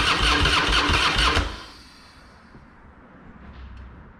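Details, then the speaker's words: Harley-Davidson Fat Boy, sat a couple of years, fresh high-octane fuel, Mobil 1 20W-50, tended battery: fast even starter cranking about a second and a half, no catch, then quiet; engine turns but gets no fuel because the fuel valve was left off. "hmm interesting it's helpful if I turn the fuel on first idiot"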